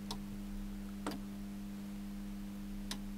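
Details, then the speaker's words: JSI 2000TL grid-tied solar inverter bench test, PV input over 100 V: three sharp separate relay clicks over steady low hum as it connects after 'waiting sun'; normal startup, then about 270 W AC output. "says waiting sun and it'll take a few minutes to do that okay three two one I hear a relay clicking"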